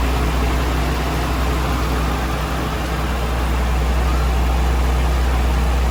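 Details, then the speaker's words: Nissan Stagea after timing belt and tensioner pulley adjustment, warming up after start: steady, even low idle with no squeal or chatter; earlier belt noise gone, normal idle. "Well, that took care of the noise for sure. Just letting it warm up."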